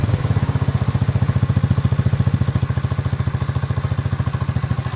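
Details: 2006 basic model single-cylinder motorbike after work including valve clearance set to 0.07 mm: even, rapid thump at steady idle with only a faint valve tick; healthy, well-settled engine. Normal idle.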